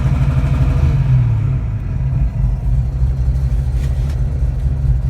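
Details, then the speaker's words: Engine with a newly installed MSD 3-step on an analog MSD 6AL box, lower launch-control step set to 3,000 rpm; steady high rev with a hard buzzy rasp as the limiter catches, holding properly. "Now we'll try the lower one. So that one should be 3,000 RPM."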